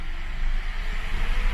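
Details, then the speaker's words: PSA EB2 PureTech petrol engine idling at about 800 rpm; pressing the clutch pedal lifts the idle slightly and it holds, then drops when released, with no roughness, a normal idle speed rise. "Olha como a rotação sobe. Vou soltar a embreagem. Olha como a rotação desce."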